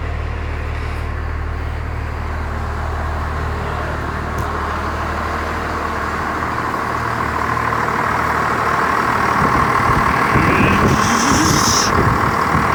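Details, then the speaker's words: First-gen Cummins diesel after fuel-system work, just started in cold weather, not run for a week: steady even diesel idle clatter, smooth with no miss or knock; sounds healthier, being warmed up. "I think it actually sounds better like trash that sounds healthier but we're gonna let her warm up a bit"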